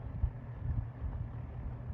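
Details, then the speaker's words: Lakewood P-223 fan (1987/1988) after degreasing, previously ran slow and poorly: soft even rush of air with low steady hum, no ticking or scraping, running like new; normal fan running. "it ran so slow and like trash and now it's running like it should it's like a new fan"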